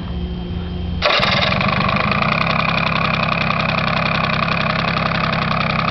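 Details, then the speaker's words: Honda Spree scooter after servicing: final drive oil changed, new Honda air filter, fuel sending unit adjusted, exhaust rust removed. It catches after a second of cranking and settles into a steady, even, buzzy idle with no misses or rattles. "here that's how she runs underneath that's it"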